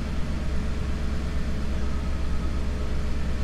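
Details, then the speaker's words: 1990 Mercedes C126 560 SEC, Euro-spec AMG car, after cleaning and freeing a sticking idle part: an even, slightly raised cold idle around 1000 rpm, no stumbles or ticking, expected to settle once warm; fans not on high. "should drop down once the car warms up but yeah it's it's already better fans not running on high speed"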